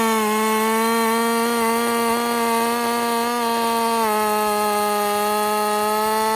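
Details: Husqvarna 50 Partner 5000 hybrid race chainsaw on its first cuts after a rebuild with a machined piston taper, in wood too big for the bar; a two-stroke scream at steady high revs, with only slight sag while cutting. Normal running under load.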